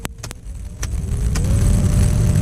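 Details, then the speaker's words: 2003 Toyota Matrix after replacing the blower motor (part BM0016) to cure a ticking noise: after a few clicks a low steady hum, tone rising slightly as the fan spins up; runs smoothly. "sounds pretty good well that'll do it for installing the replacement blower motor in my 2003 Toyota Matrix"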